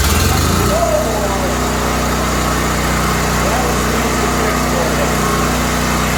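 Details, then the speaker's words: Small pull-start generator that would not start, after an easy carburetor fix, choke and fuel on, in cold snowy weather: one pull, catches within a second and settles into an even, steady run with no misses or surging; normal start and run. "well that one was an easy fix for you let me show you why we're getting this thing going right now"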